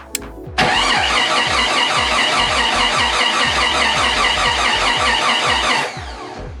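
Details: Jeep 4.6L stroker, rebuilt engine first start attempt in neutral, fuel pump priming: steady starter cranking about 2.5 beats a second, never catches; crank no-start, distributor timing later found one tooth off.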